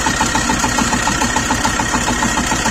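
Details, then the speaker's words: Tractor diesel idling after ploughing with a dry rustling grind and fast light ticking, about seven a second, from the belt tensioner pulley; owner suspects a failed bearing after three seasons and plans to replace the bearings. "так і ось засоршав ролік десь видно підшипник полетів мене натяжні ролик стоїть"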